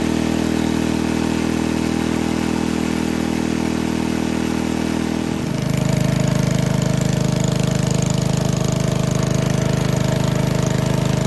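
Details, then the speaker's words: 1951 Briggs & Stratton 6B-SF 1.75 HP single-cylinder gasoline engine, cold start at about 30°F on choke, no primer, after moving governor spring to next hole: steady even beat settling to lower speed; owner estimates at least 500 rpm drop, normal running. "well that governor adjustment definitely did the trick didn't it it really slowed the rpms down so just by moving the governor spring from this hole to this hole we dropped at least 500 rpms"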